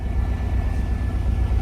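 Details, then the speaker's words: 1994 GMC Sierra 3500 with 5.7L 350 V8 at idle: deep, loud, choppy rumble with sharp unmuffled exhaust pulses because the muffler is missing; alternator replaced and charging strongly. "again don't property's muffler so it's loud but no biggie"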